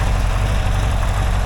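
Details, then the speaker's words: 1982 air-cooled VW Vanagon Westfalia, restored engine at idle: a low, steady, even sound with no knocking or ticking. Measured about 85° at the valve covers, 94–96° at the heads and 185° at the exhaust pipes, judged within range; normal idle. "I think it sounds like a Volkswagen doesn't it"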